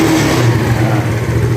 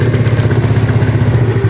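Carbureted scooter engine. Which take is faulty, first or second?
second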